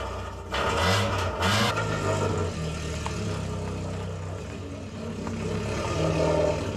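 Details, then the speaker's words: Mk2 Ford Escort four-door running again after time off the road: loud, raspy, crackling exhaust note swelling with revs and falling back, from a very cheap, very worn-out, blowing exhaust system. "All right, it's definitely been too long since we've heard Maude's ridiculous noise on the channel. And that's the sound of a very cheap and very worn out exhaust system."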